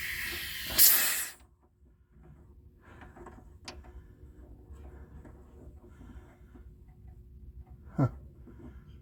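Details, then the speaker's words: 1975 Dodge Dart air shock being pumped up: sharp hiss of escaping air for about half a second, then fades; air shock line kinked and broken through, leaking. "but it appears like I have a leak I hear air coming out of my air shock oh it's coming from up here okay"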